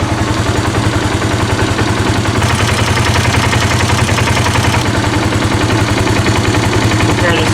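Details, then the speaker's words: 2018 Polaris Sportsman ACE 570 after replacing the timing chain and the loose oil pump chain, oil topped off: even, steady idle with a clean low beat and no rattle, though the engine is burning oil, suspected rings; normal idle. "maybe it sounds healthy now but it's burning oil"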